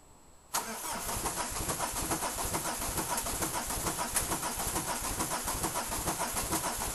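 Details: Peugeot 306 XLdt diesel, injectors suspected bad: the starter cranks in a slow, steady rhythm of about two beats a second with no firing. It is hard to start and took five glow-plug cycles before it finally fired.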